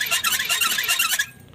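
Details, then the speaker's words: New 474 engine in a Changan double-cab truck, fitted elsewhere and run about 40 km, cranking but not starting with harsh squeal pulsing each crank stroke; no oil seems to reach the cylinder head, dry-running from oil starvation. "这声音好像就在发动机里面啊。哇，打也打不燃，这种我看到好像没上机油，听着好像就是没上机油的声音。"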